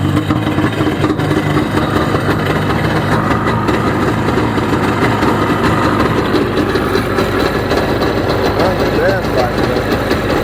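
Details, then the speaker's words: 1995 Sea-Doo XP 717 two-stroke run on a jumper box without cooling water hooked up: a loud, busy buzz holding steady with no knock or misfire. It is smoking, which suggests the oiler works. Normal running. "Well, we know it runs. Sounds pretty good. It's smoking, so that means that the oiler is working"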